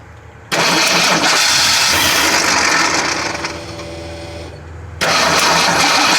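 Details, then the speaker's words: 1979 AMC Spirit AMX with EFI swap, tank and surge tank run dry: starter grinds engine over steadily, pauses, cranks again without catching; still no fuel pressure, though it sounds like it wants to fire. Crank no start from no fuel pressure. "pressure H still got no fuel pressure h [Music] it sounds like it wants to fire"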